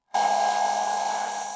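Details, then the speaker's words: Graphics card under two years old with degraded thermal paste: GPU at 76°C, hotspot over 100°C, fans roaring at full speed with a clear tone; after replacing paste and pads temperatures fell to 64/77°C and noise dropped. "Así es, más de 100º C. ¿Cuánto de OS? Como te puedes imaginar, los ventiladores estaban pidiendo ayuda a gritos."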